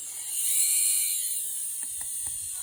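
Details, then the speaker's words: Audi fuel pump removed after an E85 conversion, run on the bench from 12 V: thin high-pitched whine with scratchy clicks as it labours. The rotor is worn where the brushes rub, and the pump is being replaced. "c'est le rotor qui est mort c'est là où frotent les charbons en en fait c'est tuas un moteur électrique il a des charbon avec un rotor inst stator et c'est le rotor sur les pistes du charbon"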